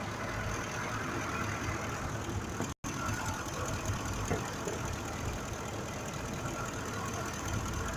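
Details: 2005 Ford F-150 5.4 V8 at idle with a misfire on cylinder 2 and bank 1 fuel trim near +23%: uneven, stumbling beat under the rumble. Injector suspected, not confirmed.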